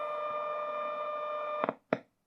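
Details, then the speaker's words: Braun T1000CD radio after repair, receiving a 17 MHz tone-modulated test signal: a steady tone, then clicks as a shield cover screw is tightened and the signal goes dead; loosening the screw brings it back. Shortwave dropout caused by the cover. "Dead. Loosen it. Got the signal back."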